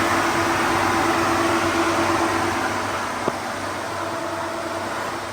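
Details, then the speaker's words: G-body Monte Carlo SS with newly installed Derale electric fans and a 3-core Champion radiator. After rewiring, the old inline fuse was replaced by a straight power wire. Both fans run with an even, steady air rush, no rubbing or rattling: working properly. "And you can hear, it tells you that both fans are on. And you can hear both fans."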